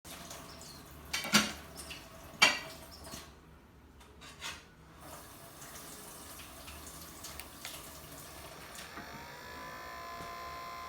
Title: Biolite Campstove 2 fan making noise